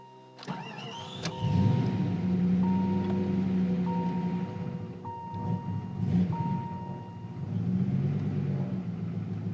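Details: 1994 Jeep Grand Cherokee 5.2 V8, 204k miles, cold start below ~40°F: fires and runs unevenly only on slight throttle, warning chime repeating, dies without gas; no check-engine light, runs fine once warm; IAC and coolant temp sensors recently replaced, cause unknown.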